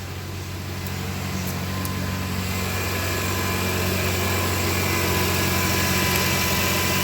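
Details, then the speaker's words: Cold morning idle after the repair: the ugly noise this car made only in the mornings is gone. Steady, even idle hum with a low smooth pulse and no knocks or rattles. The cold engine sounds healthy. "Y el motor está bien, pero bien helado. Súper helado. Así que no tuvimos más ese sonido feo que teníamos por las mañanas."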